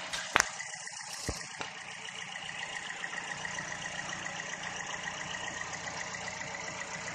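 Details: Petrol car that was hard to start, idling after a loose fuel hose connection was tightened: a couple of clicks, then a steady, even idle with a smooth hum and no misses or stumbles; healthy.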